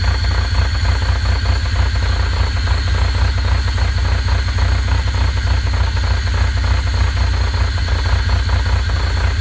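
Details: Pontiac Fiero 2.8L V6 idling warm: steady repeated knock over low rumble; knock developed when the engine is warm.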